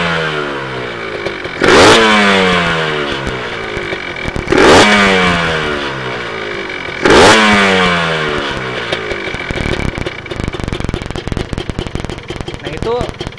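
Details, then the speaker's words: Kawasaki Ninja two-stroke motorcycle engine revved: three sharp throttle blips, each with a dry metallic clatter on the throttle as revs fall; rattle when revving, suspected at the piston. "pas di gas pas di gas itu terdengar ada bunyi ter gitu ya ter Nah itu memang di bagian piston ya"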